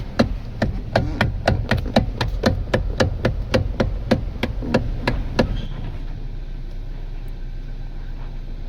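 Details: Kia Cerato electric power steering motor before repair: sharp, evenly spaced knocks about three per second for five seconds, then quiet; after opening and refitting the motor it runs silent. Electric power steering motor knock.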